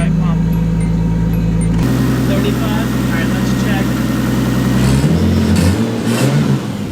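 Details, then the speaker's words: Nissan 240SX with a newly installed DeatschWerks 415 lph in-tank fuel pump priming and starting; the engine catches, holds a steady even idle and settles smoothly. The new pump is super quiet compared with the previous loud Walbro 255. "All right, so the fuel pump works. It's super quiet, which is crazy."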